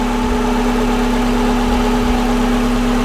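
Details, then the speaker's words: Volkswagen Vanagon transporter fitted with a Subaru EJ20 engine, idle at just over 1,000 rpm, slow to drop back to about 800: steady, even hum with no misses, ticks or knocks; engine idles healthy. "Sounds really good. I don't know how it is. It does kind of hang up, which is better than it stalling."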